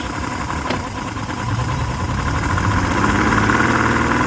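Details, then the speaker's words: 2006 Yamaha 150 TXR two-stroke outboard with a new, still-hard primer bulb, idling at about 800 rpm, down from 1,000; high, uneven loping idle that revs briefly after restarting, then sputters and putters out. Rough idle and stalling, cause not yet found. "See, it kind of revs up a little bit right when you start it after it's died, and then it just putters out again."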